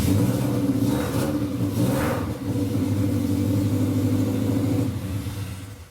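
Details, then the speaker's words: Subaru Forester freshly built boxer engine with unequal-length headers, open exhaust, starting on second turn: deep lumpy rumble at steady idle with a couple of light blips; engine running healthy. "Sounds good, doesn't it? Yeah, it cranks like second turn. Wait. It's deep. It's got that Subi rumble."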